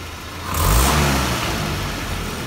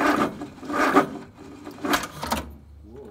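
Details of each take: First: Land Rover Series 3 carburettor engine after carb cleaner sprayed in: clean pickup on full throttle snap, rising smoothly and settling without hesitation, which it showed before the cleaning. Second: Land Rover Series 3 started with choke about halfway on a fully charged battery: a few weak, sluggish turns and a pause, then it catches and idles, exhaust stinks; slow cranking, hard start; owner suspects the starter motor, unconfirmed.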